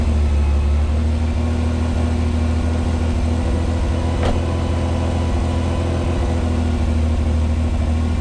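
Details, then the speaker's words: 1986 Pontiac Fiero SE V6 with known high idle problem, just started on a warm day; smooth even hum sitting clearly fast for idle: high idle during warm-up. "She's idling at 1,220 RPM. And it sounds like it. So, we're going to let her warm up."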